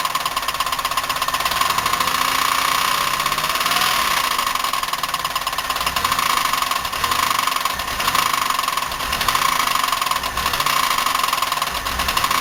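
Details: 1990 Buick LeSabre 3800, unknown mileage, idling after ignition pack replacement, smoking, running rich, misfiring on at least one cylinder: loud rapid even metallic ticking knock; bearing, lifter or rod suspected, unconfirmed.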